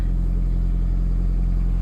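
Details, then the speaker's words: Nissan Altima just after alternator and AC compressor replacement, first start: deep, steady hum with an even rhythm and no knocks, squeals or misses; started first try without jumper cables, no smoke; idling normally. "Okay, there you go, y'all. That's how you know it's a good job on the first try."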